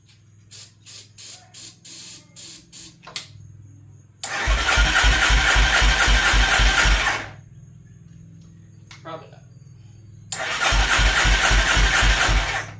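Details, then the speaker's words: 1989 Yamaha Warrior ATV, fire-damaged, starter works only with the kill switch off, starting fluid tried: starter churns in steady quick pulses about four a second through two long cranks with no firing, and the check finds no spark. "Guess let's check for spark. I doubt I have spark. Yeah, I've got nothing over here at least."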